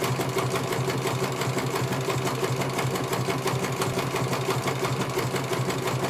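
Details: CNY computer embroidery machine in for service; at first its motor (dinamo) would not turn at all and the bobbin case was missing. Fast, even needle clatter at roughly three stitches a second over a smooth motor hum as it finishes one colour; normal stitching, judged very good.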